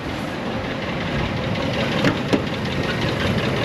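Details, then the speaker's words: Old Ford F150 4.6 V8 on first start idles roughly, misfiring a little, with a light uneven rattle and sharp clicks; it barely revs, oil bottles were found in the bed, and the owner declined engine repairs. "okay so we're kind of misfiring a little bit and it's rattling a little bit it's not the greatest"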